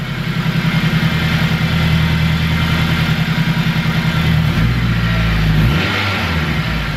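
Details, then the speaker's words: K20-swapped Civic EK hatch with new throttle cable on a modified original bracket, revved from the cabin: even engine and exhaust note rising and falling cleanly with throttle, no knocks or rattles, quieter than expected; healthy. "You gonna hear the exhaust again? You ready? It's actually quieter than expected."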